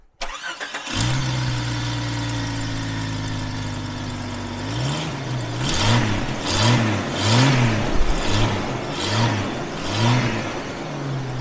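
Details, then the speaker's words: Jeep Cherokee XJ start-up just after installing a Trail Head Off Road cowl intake under the windshield, heard from cab: fast idle with steady intake sucking hiss only at startup, revs rise and fall; normal, healthy start. "i gotta say when i did start it you do hear a sucking sound but it's only you know for the startup and then once it idles down you don't hear it anymore"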